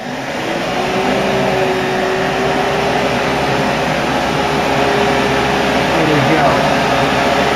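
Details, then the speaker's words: Mk3 Ford Cortina heater box with upgraded 300 W blower motor bench-run on power, correct polarity: steady noisy whir with constant air rush, no rubbing or wobble. "You can already hear how noisy these things sound. Oh dear."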